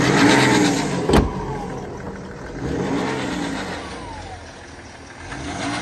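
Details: 2012 BMW X5 30d (E70) diesel being revved, with a light metallic rattle on the engine note. Suspected chronic timing chain failure, starting at around 250,000 km. Unconfirmed.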